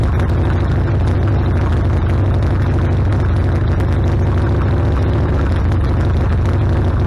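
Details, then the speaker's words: Harley-Davidson Sportster after carburetor rebuild, carb not yet adjusted: deep steady rumbling idle with no misses, stalling or backfires; previously died after a minute or two and backfired, now idles healthy. "all right oh yeah sounds like it's doing a whole lot better I haven't tweaked the carburetor at all yeah it's idling great"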